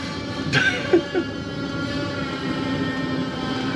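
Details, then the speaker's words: Diesel heater after its fuel line was bled with a vacuum pump: a few ticks and clicks, then a steady soft roar of flame as the burner lights and combusts evenly. "I can hear the rumble of flame feel heat coming out in the exhaust oh yeah baby this could be it well it's definitely working there it's roaring away"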